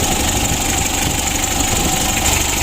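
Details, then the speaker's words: Mitsubishi L300 diesel on its first start after an engine rebuild, with the standard block, original pistons and crankshaft, standard bearings and a new timing belt. It holds a steady, even idle clatter with no misses. Oil pressure is good and there is only slight smoke from residual oil. "Oke teman-teman semua, untuk L300 nya sudah hidup."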